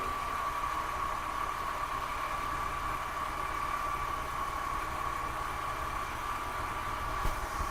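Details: BMW M54B30 petrol engine idling steadily with a fast, light ticking and rattle under the engine note; cause unknown.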